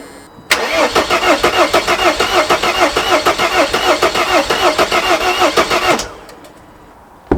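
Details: Mercedes W209 CLK 270 CDI, first start attempt after a black death (injector leak) repair. The starter spins steadily about three beats a second for five seconds and the diesel never fires. Owner wonders if a fuel bleeding procedure is needed.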